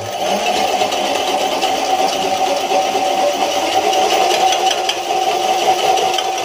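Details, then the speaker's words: DIY electric bike built on a 21-speed Walmart bicycle, run with no weight on it so it accelerates quickly: steady motor whir with continuous dry chain rattle and scrape; the chain has jumped off its tensioner gear and stuck on the wrong side of the washer. "here all right all right so you can see that without uh any weight on it really to prevent it from accelerating too quickly the chain has jumped off of its little tensioner gear and gotten stuck on the wrong side of the washer"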